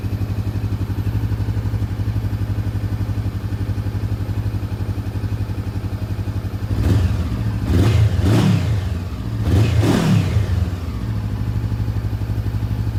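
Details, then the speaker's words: 2015 Honda CB500F motorcycle idling after K&N HA-5013 air filter install; steady even idle with a couple of quick throttle blips dropping cleanly back to smooth tickover; normal idle. "All that's left is now to start it up and see how it sounds."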